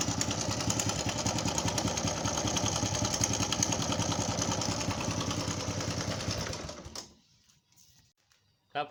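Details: Customer's motorcycle brought in for engine noise; engine oil checked and found very low. At idle a fast, regular metallic clatter of two or three ticks a second: timing chain, valve and rocker noise from oil starvation.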